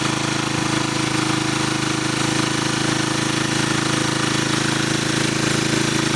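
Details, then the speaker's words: Small engine running on wood gas from a gasifier, with the hopper nearly out of wood: steady drone with faint irregular dips as the engine starts to cut back from low fuel supply. "Starting to hear the engine cut back just a tiny bit because we're literally right at the top of the right at our hard right there, so we're almost out of fuel."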